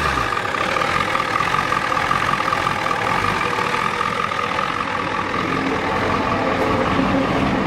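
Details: 1993 Ford F-250 XLT 7.3L IDI diesel, parked about a year, warm idle with the revs stepped down: uneven, lumpy chug with a steady noise over it. Owner suspects it is out of time; injectors replaced, injection pump suspected.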